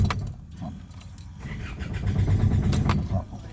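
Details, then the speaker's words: Isuzu D-Max diesel cranking with no start: the starter churns slowly and unevenly, about three beats a second, and never catches. No fault codes; it starts with the SCV unplugged. "สำหรับรถคันนี้นะครับมาด้วยอาการนะครับเครื่องยนต์สตาร์ทไม่ติดนะครับครับ"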